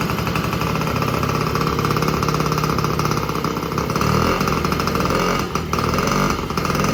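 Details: 1950 Indian Papoose two-stroke after an engine rebuild for clutch replacement, with the piston re-fitted after possibly being installed backwards: busy, even crackle that keeps its rhythm without stalling or knocking; running properly.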